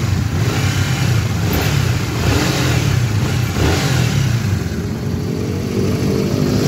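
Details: Honda GTR motorcycle that had a rough engine noise, after replacing the chain tensioner: steady, even engine note rising and falling smoothly through a couple of revs, with no top-end clatter or ticking. Normal running.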